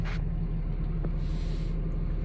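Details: 2004 Dodge Ram (believed 2500) 5.9 Cummins diesel after lift pump replacement for P0628 fuel pump control circuit low (stalled after deep water), no DTCs: low, steady rumble with even beat, no misses or knocks, clean smooth idle.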